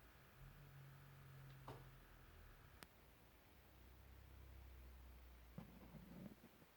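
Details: Edifier R2730DB powered speakers, all inputs disconnected except power cord: faint, steady low buzz; owner wonders if it is a bad sample.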